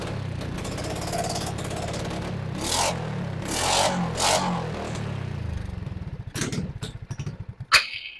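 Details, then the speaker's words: RPS 150cc sport ATV, after trying to clear the carburetor by near-stalling and revving: engine revs raggedly, sputters down through slowing pops and quits; fuel stopped flowing, clogged carburetor to be pulled. Stalling. "okay I stopped getting fuel all together the fuel is on right um yes it is yeah nothing else was flowing in there yeah that carburetor is clogged so let's go ahead and get it pulled"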